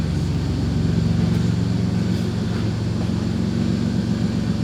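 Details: Chrysler Grand Voyager minivan idling after reassembly (control arm, brakes), no check engine light, low on fuel; low, even rumble with steady pulse, no knocks, misses or rattles, healthy idle.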